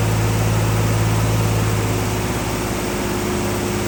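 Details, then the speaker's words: Early 1974 Triumph TR6 six idling after sitting for years, on fuel of unknown age: even, steady low idle with a regular beat, no knocking or missing; has oil pressure before it dies. "I just wanted to see if it was going to start. She runs. And she has oil pressure, which is good."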